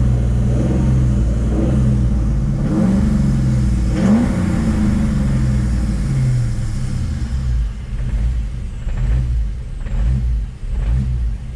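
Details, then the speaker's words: Built 5.0 Mustang GT V8 running without MAF sensor or tune, battery discharged: revs up, then stumbles and sags with jerky dips, running very low. The owner suspects a bad map or tune and is unsure the battery is charging. "running really really low. Uh-uh. I need to get to the bottom of this. But at least it drives now. I think it's a matter of tuning maybe now. It has a very bad map or something and the battery is discharged."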